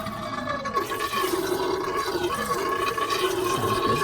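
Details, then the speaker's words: Gurgling and bubbling in the coolant system of a drift car running orange coolant, with rusty steel connectors in the coolant pipes and one suspected leak; uneven watery gurgle about four bubbles a second with faint hiss. Owner suspects air being sucked in somewhere. "That's a cool noise. Not sure what this noise means, but does that mean it's sucking in air somewhere? Probably."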